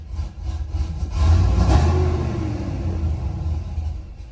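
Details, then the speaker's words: Truck after cam swap running the factory tune, idle airflow learned about 8.5 g added: deep loping idle sags and fades within seconds and stalls; needs throttle to start and idle. "And it stalled."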